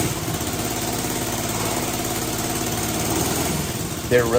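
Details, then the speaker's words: 1965 Honda CB77 Super Hawk after barn-find restoration, cranked with choke on after its spark plugs were swapped around: uneven sputtering, catching now and then but never settling into a steady run; carburetors still need adjusting. Cranking, trying to fire. "As soon as I did that, there were clear signs of life. Like you could hear it. It was trying. It was there."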